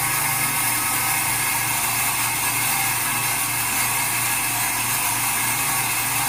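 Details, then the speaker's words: Steam boiler after automatic water feeder replacement, feeder set at 2 gallons per minute: steady whirring drive with light gear chatter as the damper swings open evenly before burners relight; damper motor sounds normal. "Alright, damper's opening, just about to fire back up."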